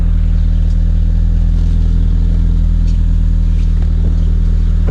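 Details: Renault Clio 182 after replacing the faulty fuel injectors that caused a flashing engine management light: deep, even exhaust burble at idle with a steady pulse and no stumble or miss. Engine runs smoothly.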